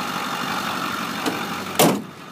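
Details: 2008 Ford F-350 Super Duty 4x4, 6.4L Power Stroke diesel, 152K miles: smooth steady idle with even note, no knocks or misses, one brief door clunk; healthy engine, normal idle.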